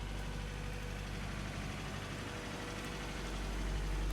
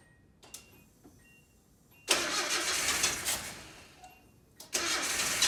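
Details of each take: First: 1987 Nissan D21 Hardbody with 53,000 miles and TBI, seized after sitting 30 years, freed and running for the first time, smoking while burning off junk: low, even idle with a steady rhythm building slightly, no hunting or stalling. Normal idle. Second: 1987 Nissan D21 Hardbody, 53,000 miles, stored 30 years with a seized motor that was freed, 30-year-old gas, new plugs, TBI tapped: slow uneven cranking breaks into rough bursts of firing that die away, then catch. Hard start after storage.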